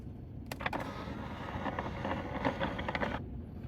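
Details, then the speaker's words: 2023 Gen 3 Ford Raptor R, about 20k miles, electric fold-down shifter with engine off: quiet motor whir with gritty crunching and irregular clicks, like marbles or a gear turning inside; folds unevenly, cause unknown. "It sounds like there's something crunching in there. It really sounds disturbing. Some kind of gear is turning."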